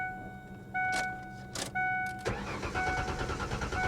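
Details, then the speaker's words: 2015 BMW 750i salvage auction car, start attempt: warning chime, starter cranks, engine fires briefly with rough uneven firing then dies; cause unknown, not pursued to avoid draining battery. "I heard it try to crank, or try to fire. In fact, it did fire. So I have no doubt that it'll run."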